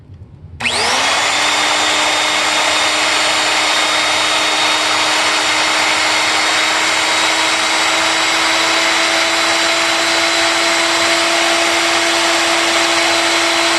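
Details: 1993 Kirby G3 vacuum motor, test run after polishing and reassembly: high, steady whine settles quickly after startup, smooth and even with no rattle; healthy motor.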